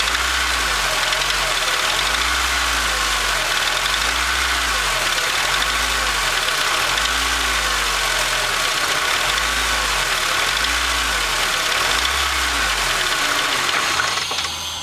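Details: Acura RSX petrol engine revved repeatedly from about 1000-1500 rpm: distinct clanking knock as revs climb; owner suspects rod bearing, not confirmed.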